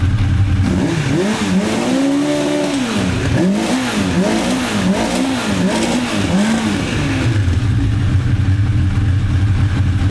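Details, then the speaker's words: 1985 Honda CB1100F four stored about 20 years, after carb clean, air filter removed, choke stuck open: quick rising and falling rev sweeps dropping straight back to an even idle; owner notes bucking around 6,500–8,500 rpm. "least goes straight back to idle."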